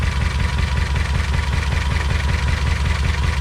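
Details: 2007 Honda Civic with a shaky idle and a cylinder misfire code: a lumpy, shaking idle with a deep uneven pulse, a stumble about two and a half times a second. Misfire from a failed ignition coil.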